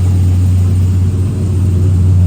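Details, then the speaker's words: Chevy truck V8 with a newly installed 4L60E, FTI 3200 stall converter and NP149 transfer case, cold start after sitting a few days, transmission fluid cold: deep, steady rumble at raised fast idle, no knocks or misses; healthy. "Right now it's a cold start, so yeah, it's going to be revved up or whatever because it has been running in a few days."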